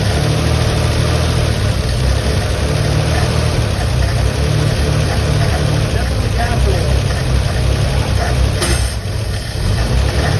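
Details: 1957 Chevy truck stored for decades, running warm on a hot day after the points were fixed: steady, even low rumble, no knocks or misses; healthy and smooth.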